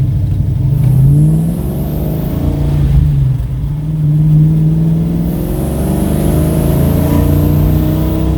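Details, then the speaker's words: 1969 Pontiac GTO with a freshly rebuilt V8 and new transmission, warm, on a test drive after an exhaust leak fix, taken up to 4000 rpm. Deep, even exhaust rumble with a soft burble and slight backfire on lift-off. The exhaust now sounds sealed and healthy. "oh man the test drive went so much better i took it up to 4000 rpm uh i'll see if i got on video or not but there's still a little bit of backflowering but it it's that awesome verbal gurgling burgling so this sounds awesome"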